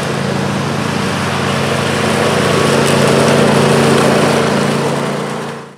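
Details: John Deere LA135 with 42-inch deck after rebuild kit (new blades, belt, pulleys, spindles) fixing a horrible whining: steady, even engine drone and smooth blade hum, no grinding, rattling or squeal.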